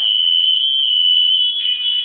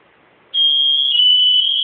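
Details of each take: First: Smoke alarm tested during a home inspection: only a faint, steady high-pitched tone for about five seconds, so the sounder is weak and the unit needs replacing; a new battery was not thought to be the fix. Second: Smoke alarm test during home inspection: silence, then a loud steady high-pitched tone that holds evenly; alarm working normally.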